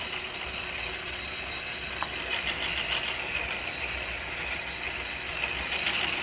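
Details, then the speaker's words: 1936 South Bend 9C lathe, original leather belt replaced by automotive serpentine belt, power feed taking a fairly thick cut: high, scratchy squeal with uneven chatter throughout, the belt slipping under the heavy cut load. "And I'm taking a fairly thick cut here. That's why you're hearing that squeaking."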